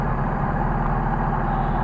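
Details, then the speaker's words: Mercedes 190SL twin Solex carburetors; steady fast even idle that never drops low, chokes sticking and secondary throttle plates leaking air; the self-adjusting throttle linkage binds, holding the carburetors open. "Yeah, okay, so we got an obvious problem with the linkage, self-adjusting linkage."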